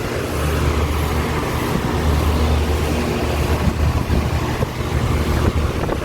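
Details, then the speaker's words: Home central AC outdoor condenser unit for one floor, steady low fan and compressor hum with an even drone, no rattles or squeals; hot air blowing through, running normally. "this one you can feel the hard uh air coming through that means your air conditioning working fine"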